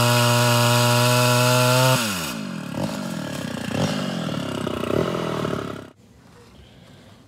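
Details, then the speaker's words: Mildly ported Homelite Super XL Auto chainsaw on test cuts with a new chain, reeds not sealing well; high revs drop as the chain bites and a rough uneven burble cuts in under load: four-stroking from a rich carburetor mixture. "i've started off rich so you're going to start smear hearing this all cut in and out of four-stroking"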